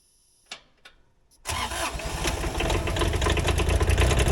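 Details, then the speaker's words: Small wheel loader diesel with extended wire harness, first start after glow plugs: a couple of clicks, then it catches at once and settles into a steady, even idle; starts and runs healthy. "So now, give her some glow plugs, start it up, and hopefully this thing don't run me over."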